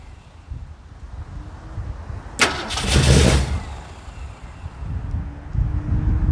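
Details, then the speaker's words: 1969 Mercury Monterey, first start attempts after 16 years: it cranks and catches for about a second in the start position, then dies when the key returns to run. Still happens after splicing a rodent-chewed cable and fitting a new starter solenoid. Ignition run feed cut. "alrighty so as you can tell that still is not starting and i did actually go through and replace the starter uh solenoid here with a new one and everything has been good cleaned up that line over there it's still not keeping um it's still not staying running when um when you let up off of it"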